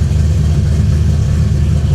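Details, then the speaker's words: True cold start of a V8 on an ACES Killshot fuel-injection kit whose cold start isn't tuned yet, with no throttle input: a steady, even low rumble at a raised idle with no misses or knocks, a healthy fast idle. "but here's a true cold start this thing is ice cold let's see I may have to give it some throttle cuz like I said we've not tuned this part yet"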